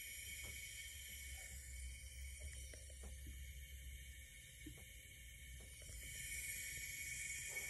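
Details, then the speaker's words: Abarth 500 engine on leak-down test, cylinders at 120 PSI with almost no leakage; faint, steady airy hiss heard only at oil cap, none at coolant tank. Normal leak-down air past rings into crankcase. "I don't know how well you can tell on video, but me and Adam listened all over the engine for where this sound might be coming from, and we determined that it was coming from the oil cap."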